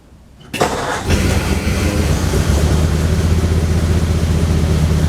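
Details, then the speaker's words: 1935 Ford convertible sedan cold start with a little choke, battery kept on trickle charger: brief crank, fires at once, settles into smooth deep steady idle, choke then taken off; normal cold start and idle. "love it. It fired right up. Took the choke off."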